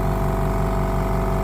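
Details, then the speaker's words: Parkside PSK068A1 240V 6L oil-free silent compressor, new, first switch-on filling tank quickly: steady, even low hum with unchanging beat, no knocks or rattles — normal, very quiet running. "Oh, that's quiet. That is so quiet. It's filling up quite quickly too, look"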